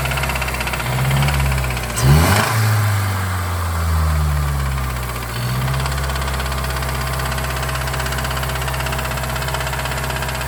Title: MS3 Rod Knock noises.